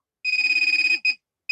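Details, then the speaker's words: Budget handheld pinpointer probe, 9-volt battery: shrill warbling tone for nearly a second, then short repeated chirps, intensifying as it nears metal; signalling metal at its tip, working normally. "As it comes into contact with the metal, and you can see how it intensifies as you get closer."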